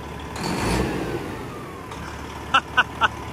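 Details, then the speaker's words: International truck with a Detroit diesel being built for 1000 hp, after its first start in neutral; a light throttle blip rises crisply and drops back without stumbling, and it sounds different than before, revving freely and healthily. "oh these Detroits are animals when you do this go for it you can hear it different sound ain't it the throttle just a little bit oh yeah oh dang a little bit more"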